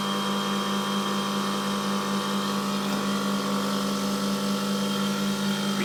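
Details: Milk-cooling condensing unit after fitting a new condenser fan motor and a correctly sized blade (old motor's front bearing had failed): constant, even mains-pitched hum with smooth fan rush, no rattles or surging. Running normally under load.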